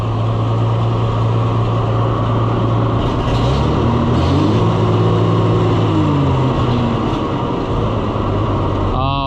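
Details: Oliver 1800 C series tractor that sat about a year, just started on choke, won't hold steady, with speed hunting up and down and uneven, lumpy firing. The owner suspects fuel starvation from trash in the carburetor, an old familiar problem.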